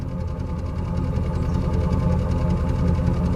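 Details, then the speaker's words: 1998 Chevrolet Silverado Vortec V8, exhaust recorded at idle after a drive: a steady, even low burble with no misfire; the exhaust had put out a lot of condensation, which stopped once heat-cycled, with no smoke and no rich smell. "there's no misfire we had a lot of condensation come out"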